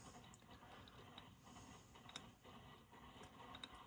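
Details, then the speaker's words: Heathkit Marauder HX-10 transmitter (1957-58 design) VFO tuning drive, after relocating the shaft collar behind the VFO bushing: quiet, light gear ticks with no grinding or binding. Normal, smooth tuning drive operation. "and I can almost coasted down here now which is nice so yeah it's not grinding for once I must have got it set right my gosh so I think this thing's done for once it's working"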